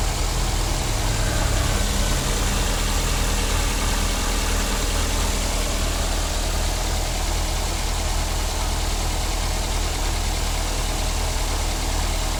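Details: 2009 Daihatsu Grand Max after the idler pulley set was replaced for a humming noise: an even, low idle hum with no squeal, chirp or whir from the belt side.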